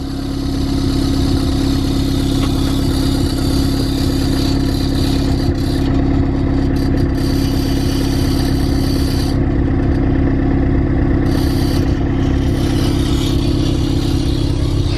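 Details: Car with a Milltek sports cat at idle. Steady idle with a light metallic buzz and rattle under the engine note.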